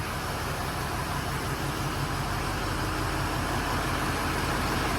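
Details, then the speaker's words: 2006 Ford F-350 6.0 liter diesel after head gasket job with new turbo, head bolts, heads, intake, pan and boost tubes: steady even idle clatter, no knocks or misses; normal idle. "you take the motor apart you lose all that motor oil anyway she's running"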